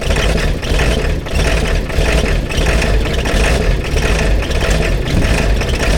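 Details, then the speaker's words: Diesel truck at 18°F, sitting since 2017 on old fuel, glow plugs never done: loud, labored cranking on and on without catching; hard cold start, owner suspects dead glow plugs or old, partly frozen diesel. "You might have every bit of none of some of the glow plugs. It's either that or that diesel. This thing been sitting since 2017 and all that diesel's still in it. It might have froze up a little bit."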